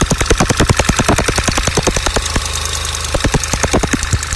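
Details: VW Golf VI GTI TSI at idle: sharp metallic ticks, two to three per second, louder than and between the normal TSI injector clatter; strange intermittent ticking, cause unknown.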